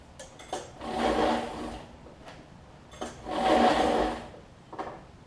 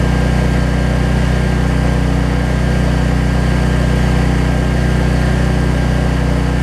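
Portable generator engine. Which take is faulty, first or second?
first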